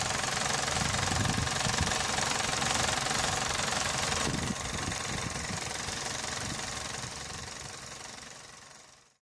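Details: Running engine heard through a selfie stick and knuckle to the phone mic: a fast, even buzzing rattle at about three per second that fades away, previously diagnosed as a loose radiator fan housing.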